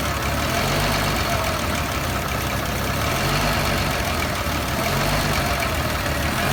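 Loud idle with an uneven, stumbling beat around four per second that never settles into a steady rhythm; rough-running engine.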